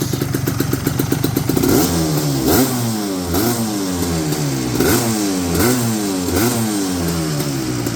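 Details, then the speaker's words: 1988 Suzuki LT250R two-stroke quad, first run after sitting, warmed up with idle just adjusted: crisp rattle at idle, then repeated clean blips climbing and falling back evenly; revs freely and sounds healthy. "Sounds good. Good start."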